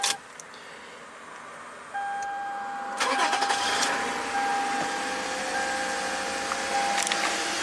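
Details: 2007 Lexus RX350 V6 at 190k miles on its second engine, after repairing a gash in the white wire of the harness: brief crank, then it catches promptly into a quiet steady idle, no stumble or stall.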